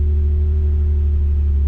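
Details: Nissan 350Z after a new starter cured a no-crank fault. It fires and settles into a deep, steady, even hum with no misses or knocks: normal idle.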